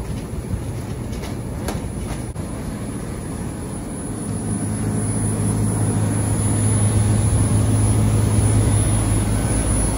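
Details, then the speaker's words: LG Multi V III VRF outdoor unit (model ARUB144BT3) with a CH10 code and an intermittent PCB board: the compressors ramp up. A low steady hum swells in level and firms up over several seconds; the rise sounds smooth and even. "I don't know if you can hear it on the video, but the compressors are ramping up."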